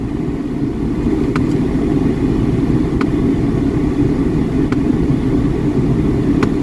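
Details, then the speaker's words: Blend door actuator in a used car at an Australian auction: a sharp faint click about every 1.7 s over a steady idle as the actuator hunts for position; the air con is icy cold, and the noise later stopped by itself. "sounds like the blend door is making a bit of noise Make some room to fit in there and if you come in here and have a listen hear that noise that's our blend door trying to"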